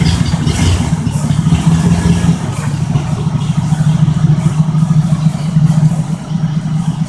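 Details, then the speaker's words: 1972 Oldsmobile 98 with 455 big block V8 at cold start: deep lumpy idle with rapid clattering rattle that sounds like knocking but is just an attached part vibrating; engine runs well. "all right guys this sounds like it's knocking but it's just this thing right here sinks vibrating but this thing runs really really good"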